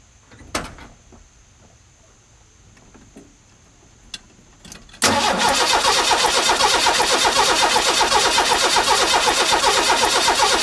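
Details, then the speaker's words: 1985 Ford F-150, 300 inline-six, 240,000 miles, first restart after replacing the exploded cam gear: even, fast cranking about four turns per second that never fires, same no-start as when it died; spark checked next. "let's crank her over see what happens hmm doing much of what it did when i first got the thing home not start"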